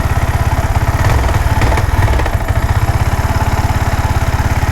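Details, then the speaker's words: Yamaha R15 V4 at start-up: lumpy, stumbling idle with uneven firing beats and a shaky rev blip. Spark is weak and intermittent; it holds at low speed but cuts out at high rpm. Misfire traced to a pickup coil fouled with metal dust. "ഇതാണ് പ്രശ്നം വണ്ടി ഇങ്ങനെ അറപ്പാണ് മിസ്സിം ആണ്. ഇതാണ് ഇതിന്റെ complaint എന്ന് പറയുന്നത്."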